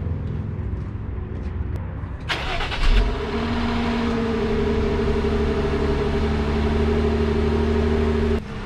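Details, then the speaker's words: Cold start of a Jeep JL Wrangler Rubicon: a brief crank, a quick catch, then a smooth, even high idle with a steady low drone and no knocks or misses. It is healthy, though the owner finds the exhaust note unimpressive. "uh the new jl wranglers don't really have the best exhaust note"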